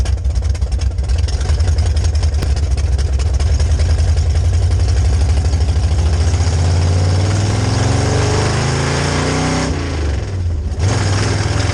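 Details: 1966 Chevy C10 rat rod V8 with rebuilt carb on test drive: deep uneven rumble sags and stumbles under load; acted like ignition, but fuel pump holds pressure at idle and cruise while carb bowls empty faster than it can supply.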